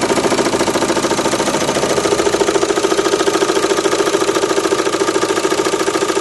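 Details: Renault Megane 2 1.9 dCi diesel at idle with sharp, steady knocking about three and a half per second that disappears when revs are raised, plus slight vibration; source of the knock not yet found.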